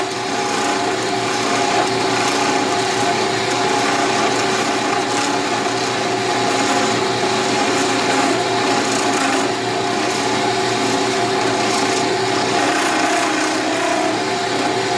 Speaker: something's not tight, that's why you're hearing that noise. We need to figure out why.